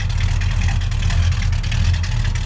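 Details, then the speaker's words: 1969 Plymouth Road Runner with 440 V8 (originally a 383 car) and 727 automatic, carburetor rebuilt, new exhaust; just delivered. Deep, steady, even burble with no misses, knocks or ticks: nice smooth, healthy idle. "A nice smooth idle. There she is."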